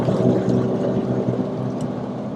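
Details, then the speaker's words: Truck driven at 40–60 mph: steady low wheel-bearing hum over road rumble, louder with speed, quieter in right turns, suggesting right-side bearing; suspected, not confirmed. "you will start to hear the bearing wind it's like a nice low hum that will get louder and louder as you increase speed between 40 and 60 miles per hour"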